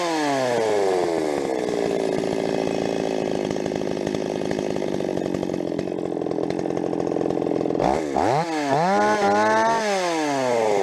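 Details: Stihl 026 chainsaw, rebuilt from a well-scavenged parts saw with aftermarket parts, sharpened chain: high screaming two-stroke with irregular pops and crackles at full revs while cutting; fuel mixture tweak didn't help, owner suspects spark plug too hot, will pull it.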